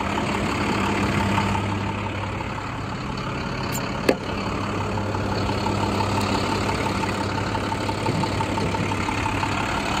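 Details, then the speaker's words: 2012 International PB105 short school bus, diesel, starts right up and drove in 30 miles; steady, even diesel idle with low hum and no knocks or misses apart from one brief clank: normal diesel idle. "but the bus sounds healthy runs drives operates as it should"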